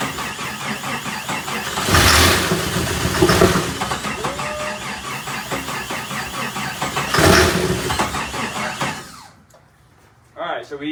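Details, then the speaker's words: Jeep Comanche MJ that sat for an unknown time, on its first start attempt with starter fluid. It fires and catches briefly but won't stay running, with a light rattle like beads in a jar; cause unknown. "are hearing it fire over but unfortunately we can't get it to stay running on the starter fluid I don't know if that's going to be uh something related with the engine currently and you guys are hearing that little like what sounds to be like a bunch of beads being dropped inside of a jar"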